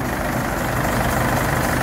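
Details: Isuzu D-Max diesel (4JJ1/4JB1/4JA1), examined for oil consumption and blowby: steady, even idle with a smooth low rumble, no knocks or misses. Normal idle.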